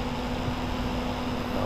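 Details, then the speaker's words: Computer radiator with 80 mm sleeve-bearing fans after about two years of 24/7 use: steady whir with rough buzzy rattle from a dried-out bearing, so bad the fan barely spins fast; worse on cold start. "stop it this one here is not rattling neither is that one but this one back there is rattling so bad that it can barely turn fast"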